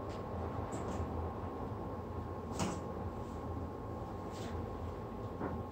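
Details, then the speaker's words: 1955 Studebaker Speedster with rebuilt power steering, fired up after months parked: a steady, fairly high whine holds over the low engine rumble; the power steering pump is whining from air that needs bleeding. "You can hear the power steering is whining like crazy. I've got to get that bled out, get the air out of that."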